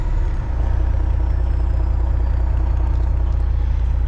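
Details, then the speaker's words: Kenworth cabover diesel truck at fast idle and throttle: deep, even rumble with no stumble or burble, check engine light out after running diesel clean through and letting it warm; owner guesses a gummed or stuck injector cleared itself. "But now when I hit the throttle, it doesn't burble. It's like smooth, you know, like it's supposed to be."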